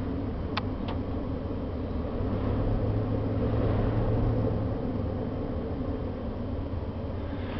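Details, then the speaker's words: 1997 Pursuit 32ft motorhome, Chevy 454 V8, clean oil, started on one battery: deep, steady low rumble at idle with no knocking or missing; engine runs evenly and healthily. "got a quick look under here the oil is clean the motor starts right up"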